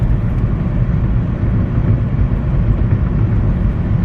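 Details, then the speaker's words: Budget hybrid cruising at 45 mph after coil checks and replacement of burnt spark plugs that had caused a misfire: an even low rumble with no stumble, miss or knock, getting up to speed with no issue. "45 miles per hour, just cruising along. It has no issue getting up to speed."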